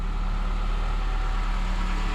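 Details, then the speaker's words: 2006 Honda Accord running after no-start fixed: steady, smooth, even idle with no knocks, misses or surges; white smoke from tailpipe on each throttle press, suspected trapped fuel or condensation. "Yeah, car's running. Each time you push on the accelerator, you know, white smoke is coming out the tailpipe."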